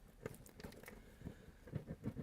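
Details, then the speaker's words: Speaker cone pushed by hand with surround visibly damaged, light showing through, looks eaten: quiet, uneven scratchy rasps of voice coil rub; both speakers are bad. "Hear that? So the speaker's fucked. Both of them are fucked."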